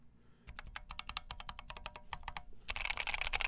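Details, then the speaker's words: POM plate in a KFA Corse60 keyboard with AEBoard blaecks switches: typing sounds as expected for a flexible, forgiving POM plate apart from scraping noise near the blocker area, where the plate contacts the case; quick soft muted clacks, normal typing sound. "if i ignore the noise that's coming from this blocker area over here sounds like i'd expect for a palm plate pretty flexible material pretty forgiving"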